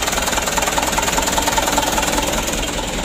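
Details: Freshly rebuilt Mitsubishi Canter HD 125 PS diesel idles with a heavy, uneven clatter of about 2.5 beats a second and a shaky pulse; it idles rough and the engine shakes, and an injection pump overhaul is planned to smooth the idle. Cause suspected, not confirmed.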